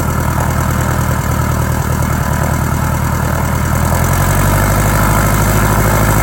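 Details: 1946 J-3 Cub engine at first start after a four-year restoration: a loud, even drone with a smooth firing beat that climbs steadily as the throttle comes up, with no misses. Mags and carb heat checked good, temperature a little over 100. Normal idle and run-up.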